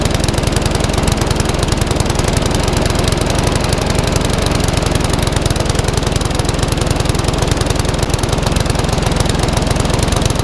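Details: Classic Briggs & Stratton 3.5 hp mower (red one) just started after servicing, previously tipped on its side with fuel over the carburetor: single-cylinder popping steadily but slow, slightly lumpy; owner may change top governor spring.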